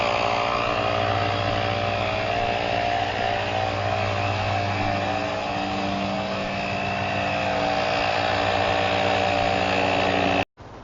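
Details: GrePro 1533 portable tire inflator, preset to auto-stop at 40 psi, inflating a tire with a slow leak from 28.4 psi: a steady, even buzzing drone from the small piston compressor at constant speed, no knocks or stumbles, so it is running normally.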